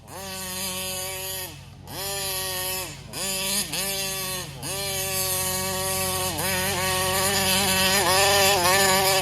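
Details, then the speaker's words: Kraken Vesla .5 with 35cc Taylor reed two-stroke engine, clean air filter: high buzzy revs surge and sag, acting lean, struggling onto the pipe and dying off throttle; owner suspects carburetor fuel starvation. "see it acts like it's really lean and then you let off a throttle and it just poops out"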